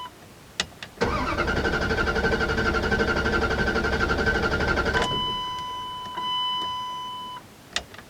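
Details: 2001 Dodge Ram 1500 5.2L V8, 137,000 miles, long-sitting, after a gas tank patch, new spark plugs and fogging oil: brief crank, then catches at once and holds a steady, even run, followed by a dash chime; normal start and idle.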